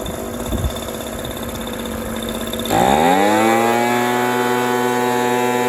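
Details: Echo PB230LN older handheld two-stroke blower that wouldn't rev up, running with a rock-hard purge bulb after new fuel line and filter; muffled idle then clean quick rev to a steady high buzz without stumbling; seems good.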